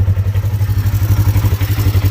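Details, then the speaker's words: Polaris XP1000 at idle after installing a Tusk automatic cam chain tensioner to fix cam chain noise: even low thump about eleven to twelve beats a second, no ticking or slap; quiet normal idle. "Quiet as can be now. That's all you need to do."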